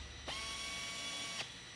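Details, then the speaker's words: Pneumatic A-32 tapping arm at 45 psi drives a 1/4-20 helicoil to depth in an aluminum blind hole, then auto-reverses; the airy hiss and steady whine of the air motor is normal by design. "So you'll hear the motor has a hissing. That's normal. It's designed that way."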